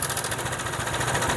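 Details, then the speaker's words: Honda PCX scooter with sudden rough noise: light ticking over idle softens but persists when the cam chain tensioner is pressed by hand, returning when released, confirming slack cam chain and weak tensioner adjustment as the cause. "Ini cuma saya tekan saja suaranya sudah lebih halus ya saya lepas bunyi lagi saya tekan saja begini suaranya sudah lebih halus memang belum terlalu halus tapi sudah lebih halus kita lepas gini nah itu memang sudah fix Ya bahwa masalahnya di setelan tensionernya"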